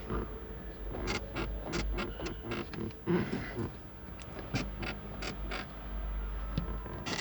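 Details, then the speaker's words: 2011 Kia Sportage SL, closed sunroof: sharp dry creaks in irregular bunches over low road rumble on every small bump while driving; creak disappears when the sunroof is opened even slightly. "вот он наш люк значит он скрипит постоянно во время движения на малейший кочки на любом каком-то бугорки я постоянно противный скрип"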